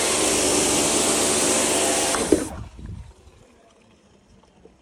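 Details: Kärcher pressure washer after a leak repair with a replacement component, reassembled, gives a strong, even hiss of spray and motor for a couple of seconds, then shuts off cleanly; it now runs at full pressure with no leak.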